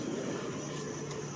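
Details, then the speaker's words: 1995 Mercedes S600 coupe V12 after exhaust noise repair: soft, steady low idle hum with no puffing, ticking or rattle, tips not twitching, vapors normal; quiet even idle with a sound exhaust. "nice and quiet now. Yeah. And see the exhaust tips. They're not twitching or anything. Vapors, that's normal."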